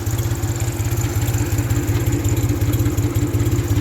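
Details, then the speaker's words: 1974 Ford 3000 gas three-cylinder tractor, revived after water in cylinders had locked it up, new muffler, synthetic oil: even, steady low idle, no knocks or misses; runs cleanly. "but i mean it runs pretty good like i said count nothing was completely locked up i'm very surprised"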